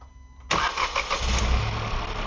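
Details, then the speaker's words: Hyundai Venue turbo petrol manual on a morning cold start. A rough, tractor-like ticking clatter at idle speed gradually fades after a while; the owner is unsure if only his car has it, and the cause is unknown. "Engine வந்து gold ஸ்டார்ட்ல ஒரு மாதிரி கிருன்னு ஒரு sound வந்து கேட்டிருக்கும் ஹைட்லிங் ஸ்பீட்ல அதுக்கப்புறம் கொஞ்ச நேரம் கழிச்சு அப்படியே கிராஜுவலா அப்படியே குறைஞ்சிருச்சு"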